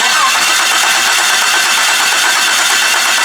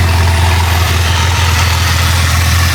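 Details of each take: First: Wrecked two-wheel-drive Jeep Cherokee, engine labeled bad: the starter spins the engine steadily but it never catches. There is fuel pressure but the injectors aren't firing or spraying fuel. A crank sensor swap is tried next; a bad computer is suspected. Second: Wrecked Jeep Cherokee engine, once labeled bad, running after the computer ground wires were reconnected: low, steady, even idle, still cold. Smoke comes from oil left after the engine was upside down. It runs smooth with no rattles and good oil pressure.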